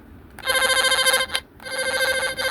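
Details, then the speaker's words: Line tracer tone probe on tone setting: warbling chirp in two short bursts, thin and weak, not its normal sound; owner suspects the weak 9 V battery inside. "Hindi ganito yung tunog ng aking tone probe pagka nasa condition siya. So palagay ko battery lang ito kasi okay pa naman siya."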